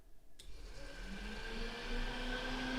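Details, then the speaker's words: Jeep with a 4.0 L engine after an electric fan swap wired with relays, big fan on high: kicks on sharply and settles into a steady, strong whir that vibrates the Jeep, with no rubbing or rattle; normal. "oh that's high oh that sounds good I can feel the whole Jeep vibrating from that fan yo it's kicking up dust too"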